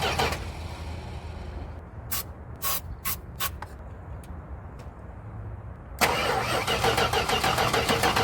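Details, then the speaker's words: 1973 Chrysler Newport 400 cu in V8 junkyard car: bursts of cranking with sharp pops and a backfire, then steady starter churn, never runs on its own; owner suspects firing order may be wrong, cranks but won't start. "all right guys it's coming to closing time and so I'm going to wrap it up call it a bit of a day because we did not get it running today"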